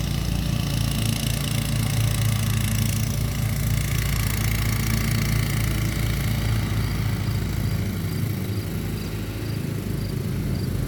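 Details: Kawasaki single on a walk-behind mower idles at a steady, even beat with no misfires, surging or rattles after an ignition coil swap using a John Deere 401v coil to fix a no-start; smooth, healthy idle.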